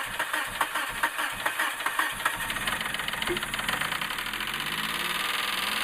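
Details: 2000 Suzuki Grand Vitara that won't start after a water pump replacement: the starter cranks evenly at about two turns per second, then spins faster, but the engine never fires. Crank, no start.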